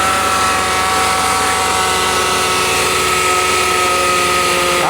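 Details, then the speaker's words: Cheap ex-police car that had sat parked for years, idling with a steady shrill squeal from the belt-driven accessories. Power steering fluid is full and switching the AC on made no change. Tensioner or idler bearing suspected, not confirmed. "Oh my, that sounds awful. It could be either a tensioner or idler bearing going out. I know it could be air conditioning."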